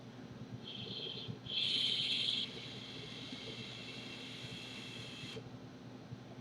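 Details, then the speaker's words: Uwell Crown sub-ohm tank vaped with airflow wide open: a thin, high whistle rises on each draw over a soft airy hiss; the airflow whistle may come from the fully opened airflow. "the only downside I see about it is actually the airflow it's a little wisps Lee if you can hear"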